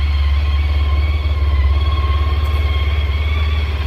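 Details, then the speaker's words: Honda ST1300 after new battery and redone brakes: deep, steady low rumble with even pulse about three and a half beats a second, no tapping or rattles; healthy idle. "I also redid the brakes so they're a lot happier this bike sounds phenomenal now"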